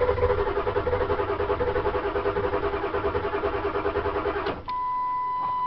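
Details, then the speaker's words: 2000 Ford Excursion 7.3 diesel, towed in for no start, cranking outdoors at night with glow plugs disconnected: oil pressure over 2000 and about 3 ms injector command; steady cranking about six or seven pulses a second, then a beep, nearly fires on one cylinder; injector oil plungers concluded stuck. "nearly fired there and it is trying to fire actually on one cylinder"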